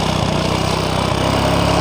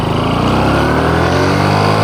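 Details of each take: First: Honda Supra X 125 losing power on climbs; owner suspects clutch bell; engine screams at full throttle without pulling, loud but slow, 60–70 km/h in 2nd gear uphill; high steady drone not climbing: slipping clutch. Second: Honda Supra X 125 Karisma, previously weak and unable to climb, road-tested uphill after parts were installed: the engine note climbs and holds a strong, heavier, steady drone under load with no hesitation. Normal hill climb.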